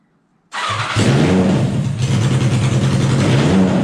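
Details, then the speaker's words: Wheel Horse pulling tractor after a new welded aluminum fuel tank and fuel lines, fuel pump primed, running indoors: catches at once and settles into a loud, rough, lopey run with a deep throb, steady and healthy; normal running. "Now we can fire this up. I'm not going to run for too long because it's pretty loud in here. Just get ready, this thing's loud."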